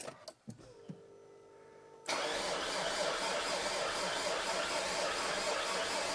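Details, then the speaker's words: Alfa Romeo 159 Sportwagon after a top-end rebuild, retry after a failed first start, not started in six months: a couple of clicks, then steady cranking whirr that never fires; cranks, no start, cause unconfirmed. "So, as you guys know, it's it's not wanting to fire."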